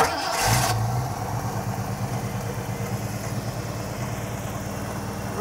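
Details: 1967 Ford Mustang V8 cranks, catches and settles into a lumpy idle with an occasional stumble. A vacuum gauge reads 20–21 inches with slight needle bounce, likely a tuning issue. Suspected misfire, no base engine problem found.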